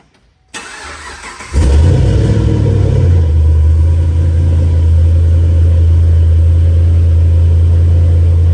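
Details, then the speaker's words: 2011 Chevrolet Camaro V8 just after an Isky cam swap and valvetrain work, oil cap refitted: short crank, fires and holds a loud, slightly lumpy high idle pulsing about four times a second. Normal cold start and idle. "I kind of just want to start my car cuz that new cam sounds good."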